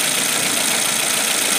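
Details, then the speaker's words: Suzuki engine after replacing a coil that had no spark: steady, even idle with a smooth hiss, no stumble or shaking, and RPM now normal where it had shaken and misfired before; normal idle. "Nah setelah kita ganti jos sekarang mesinnya engak goyang-goyang lagi"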